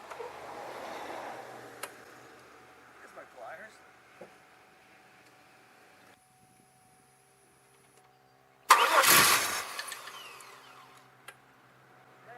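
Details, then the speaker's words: 2002 Chevy Malibu, cranks but won't start: steady cranking churn with a brief sharp burst, a momentary fire, then dies. Spark confirmed; owner suspects fuel side, injectors not firing, possibly the pressure regulator. "hmm more troubleshooting but at least I know I have sparked so that isolates that and now I'm at the fuel fuel side of the house why will the fuel injectors not fire"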